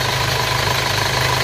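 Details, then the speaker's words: Isuzu Panther diesel from Rembang, brought in smoking (ngobos), rebuilt with cast liners and run on Fox Titan oil, idling after a Blitar round trip: smooth, even low rumble, no knocks or smoke; squeak suspected from the belt and coolant seep noted, water pump to be replaced; normal idle. "Oh iya. Oke. Halus. Halus suaranya."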